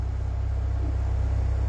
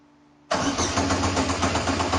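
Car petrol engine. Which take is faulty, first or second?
second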